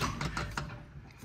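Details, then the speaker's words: Subaru with Torq Locker automatic differential locker just installed (open diff required), wheel spun by hand: a few quick mechanical clicks, about four in half a second, fading as wheel slows; locks when wheel spins faster: normal locker ratcheting. "No a toto je vlastne ešte raz, aby ste to počuli, tak keď to točíte pomaly, tak idú obidve súčasne, ale keď to rozbehnete viacej, tak počujete, štvorkola vám normálne funguje."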